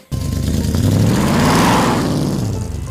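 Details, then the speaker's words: Junkyard Cuda V8 on the road with a bad exhaust leak, still present after an attempted fix, filling the cabin with fumes: loud, rough revving with a raspy, puffing blat over the exhaust note as it climbs and falls. "We got a pretty bad exhaust leak in the cooter [Music] and uh we're basically suffocating while we drive."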